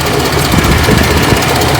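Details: Chevrolet 4.3L Vortec V6 with reused exhaust manifold gaskets: loud rough idle with quick repeating tick over low rumble; owner suspects slight exhaust manifold gasket leak, not confirmed.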